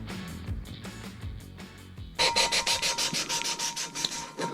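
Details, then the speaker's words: 454 big-block cylinder head valve lapping: rhythmic gritty scratching about three strokes a second, the seat still rough; keep turning with pressure until the scratchiness is gone. "you want to turn it you can hear it grinding you hear that scratchiness you want to turn it to put pressure on it turn it so you can't hear that anymore"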